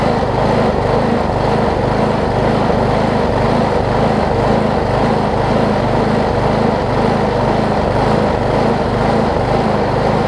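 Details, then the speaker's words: Old Gardenway-made Troy-Bilt push mower, tank nearly dry with a little 50:1 fuel added, starts right up but rises and falls rhythmically about twice a second; owner suspects the badly damaged blade contributes to the surging, new blade should fix it. "so i would think some of the surging is contributed to the blade on it if you can see that i think i can see that it's it's it's really really bad so i think a blade would fix that surging issue"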